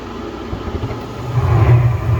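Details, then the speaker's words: Gas furnace after cleaning a debris-clogged pressure switch port: quiet start, then soft low roar builds as the gas catches and holds steady; burners lit normally, gas pressure 3.40 inches water column. "There we go. The burners are on right now. The gas pressure is good."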